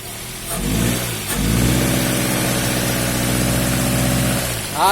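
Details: Toyota Axio with idle and pickup problems, electronic throttle body (butterfly) cleaned: engine picks up cleanly from idle, holds an even, smooth rev, then drops back with no stumble or hunting.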